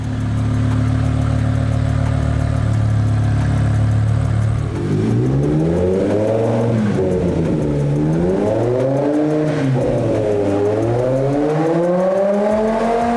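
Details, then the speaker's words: BMW E60 M5 after SMG III pump seals, motor and accumulator replaced and gear adaptation passed: smooth steady idle with several clean revs that track the throttle evenly, no stumble or noise; normal running. "Sexy, let's leave it like that. That sounded so good. So good."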